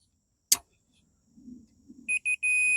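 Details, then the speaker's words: 1976 Vermeer LS200 log splitter, Kohler K301 engine, multimeter on the ignition kill switch: two short beeps then a steady tone. Normal continuity; a two-position switch that just breaks the contact cutting coil power. "continuity right so it's a two-o switch it just breaks the contact"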